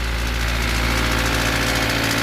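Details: Toyota 4E/5E engine at idle: light, quick diesel-like ticking knock from the cylinder head, quieter when revved, not bearings or crank; fitting the camshaft gear spring did not cure it; top-end knock, cause unidentified.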